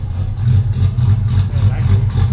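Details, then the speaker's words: Ford Fairlane drag build after dyno tuning and new mods: deep throaty exhaust pulsing steadily as revs climb and hold, no misses or knocks; sounds strong and healthy. "The question is the idle back? that sounds sick."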